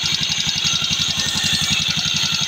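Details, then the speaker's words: Yamaha Mio Sporty scooter idling: fast, even metallic ticking over the idle. This is starter bendix (one-way clutch) rattle from a weak bendix spring, which also made starting hard; the ticking is quieter than before but still present. "so medyo nabawasan ung kanyang tagiti kumpara kanina talagang malakas so iba-iba ni iba-iba na yung tunog niya ngayon Ayan mga paps Yung kanyang vindex yung isang spring ng vindex niya Mahina"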